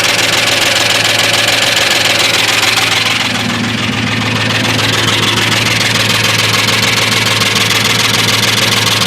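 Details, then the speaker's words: 1998 Ford F-150 4WD 5.4 two-valve, rebuilt engine about 1.5–2 years old, new lifters, lash adjusters, plugs, coils: fast, fairly even light ticking, three or four a second, over steady idle from passenger side; cause unknown, exhaust and timing chain unchecked. "Now, my noise is coming from the right side of the engine. I'm sure you can hear it. Uh the passenger side."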